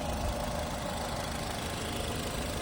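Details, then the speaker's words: 2011 Nissan Qashqai+2, 2.0 petrol 104 kW automatic, 235,000 km, idling: steady, even, smooth beat with no misses or tapping; seller says engine runs very cleanly, no timing-chain noise cold or hot, no smoke, RPM not hunting, not misfiring. Normal idle. "Е, так, зараз послухайте, як він працює. Дуже чисто, гарно працює двигун."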